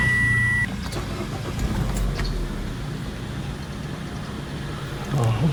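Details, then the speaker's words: 2022 Mitsubishi Xpander Sport CVT cabin, ignition switched on with startup animation: single clean high chime about half a second, then quiet cabin hum; normal ignition-on greeting tone. "Nah, ini kalau dimatiin ya kayak gini. Sekarang coba kita nyalakan karena dia masih ada animasinya."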